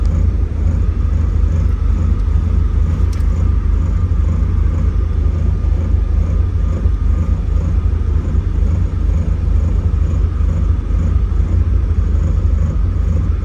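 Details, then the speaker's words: Porsche 944 project car, started after a new reference sensor with an open line was swapped back for the old one: a deep, steady low rumble with no knocks, misses or surges; smooth normal idle. ECU and tach issues remain. "all right guys so I've been letting it idle we'll be back tomorrow"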